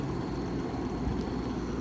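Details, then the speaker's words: 1967 Chrysler Airtemp Imperial 11k air conditioner, not run in a while, on cool with fan on high, evaporator frosting, full charge; smooth, even low rush of air with no rattles, knocks or squeals, quiet and already blowing cold. "Man, we getting cold already. That's cold. This thing's quiet. High is pretty quiet too."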